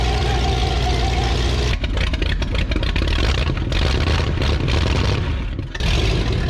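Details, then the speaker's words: 1962 Buick Invicta wagon V8, 53 years in a salvage yard and thought seized, first start on starting fluid poured over the carburetor: catches and revs hard, deep rough bark rising and dipping with throttle. "When I grabbed this thing in the salvage yard last week, I thought that motor was stuck. Now she sounds like a top fueled dragster."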